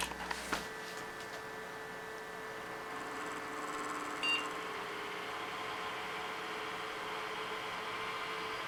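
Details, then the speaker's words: Dusty HP Media Center computer; power supply sounds like a cement mixer, steady whirring hum with thin high whine slowly growing louder. Noisy power supply fan, cause suspected. "That power supply sounds like a flippin' cement mixer. Now, could you imagine having to sit at your desk peacefully and that starts making that noise? That would drive you nuts."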